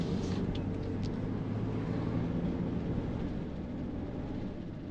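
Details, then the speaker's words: 2005 Toyota Highlander driving with the two rear windows down three to four inches: low throbbing pressure pulses of air bouncing around the cabin over road rumble; wind buffeting, which the owner calls pretty bad. "can you hear that like the the air inside just bouncing around the walls so yeah the baffling in this car in certain circumstances with the windows um is pretty bad"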